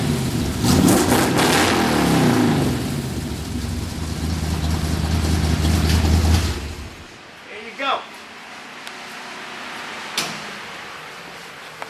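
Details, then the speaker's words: 1939 Ford 2-door hot rod, 327 V8, recorded from the rear after start: deep loud rumble settling into an even idle; healthy and well timed. "Everything's timed out pretty good. You can walk to the back, hun, so they can get a sound, so they can hear how it does idle."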